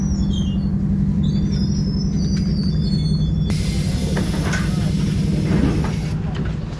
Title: Boarding an Optare Solo ExHCT OS27 & 1763, SLN 47999 YJ12GVZ on 309 with Loud Engine & Squeaky Noise